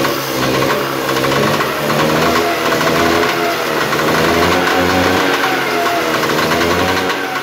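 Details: Trabant Tramp/Kübel two-stroke twin on its first start: buzzy ring-ding rising and falling with throttle, firing steadily without misses, smoking; normal running.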